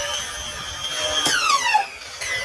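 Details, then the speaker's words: Kraton 6S M2C RC basher, Hobbywing Max6 G2 with a 1650KV motor, given full throttle while airborne: a high motor whine with falling sweeps and a harsh scratch. Owner suspects the ballooning tires rubbing the body. "Thinking that horrible sound was the body's rubbing on the, or the tires rubbing on the body. Super, super ballooning."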